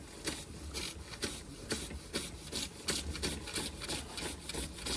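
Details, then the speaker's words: Josef Falk 456 overtype model steam engine, awaiting finished restoration, run after sitting a couple of months: even, quick chuffing about three beats a second with light mechanical rustle, running sweetly. "I love it. It even sounds like a steam engine. Very pleasing to watch."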